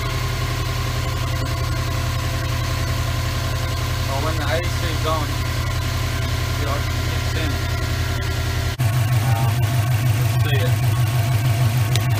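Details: 2003 Subaru WRX idling after the AC belt tensioner pulley/bracket was replaced and the belt tightened; the belt had squeaked with the AC on after a regas. Steady, even idle with a smooth low hum and no belt chirp or squeal: normal idle.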